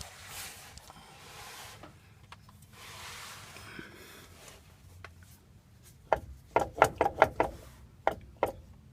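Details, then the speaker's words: Nissan Titan rear differential, axle popped out, driveline spun back and forth by hand: burst of sharp metal clunks, lots of slop, plug full of shavings; worn gears, excessive backlash, clicking/knocking noise. "there's clunking when you spin the drive line back and forth with this out you can spin it when you pop the axle back in you can't spin obviously but there's a lot of clunking in there I'll show you"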